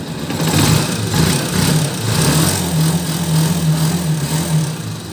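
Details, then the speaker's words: Honda TMX 125 series 1 (2015-2016) idling after valve clearance reset to 0.06 mm, previously ticking loudly even cold from excessive clearance; even, steady single-cylinder beat with no valve tick left, healthy idle. "wala na yung lagtik So kanina napakalamig pa makina sobrang lagatik na"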